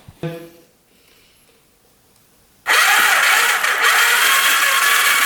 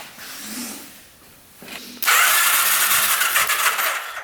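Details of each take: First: 1991 Kawasaki Vulcan 1200, cranking after a plug wire connection was repaired. The starter spins the engine at a steady, even rate for about eight seconds without firing. It cranks but won't start, with no spark at the plugs. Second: 1991 Kawasaki Vulcan 1200 V-twin, long-neglected, which the seller said would never run: quiet at first, then a loud, fast, even churn as the starter spins it strongly on a faster jumper pack. Healthy cranking, now producing good spark on all cylinders.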